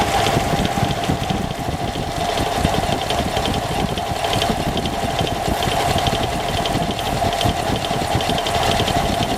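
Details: Engine at idle: a steady idle with a busy, rattly clatter and a persistent mid-pitched ring throughout; abnormal noise with no clear cause.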